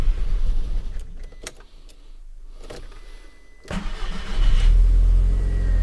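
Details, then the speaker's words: Audi TT Mk1, coolant at 9 °C, first start after a fresh tank of fuel: long quiet crank with sputters, catches at about four seconds, low uneven rumble; starts somewhat better, owner suspects fuel. "bon alors effectivement ça démarre un petit peu mieux je pense que le carburant est en cause"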